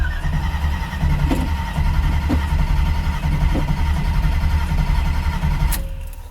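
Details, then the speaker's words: Muscle truck with new Holley Sniper EFI, cold start with one throttle bump: engine catches and runs lumpy with irregular firing, then drops away. Hard first cold start, fine after a second key cycle; owner suspects fuel pressure or too-lean enrichment. "This is the part of the startup that I may have to work on, is just that first start. Once it does a second key cycle, it's good."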